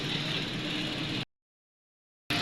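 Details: 2017 Toyota Corolla 2NZ engine after repairing a two-cylinder misfire that caused rough running and no power: steady even idle with no hunting or stumble, cut briefly by a gap; idling smoothly.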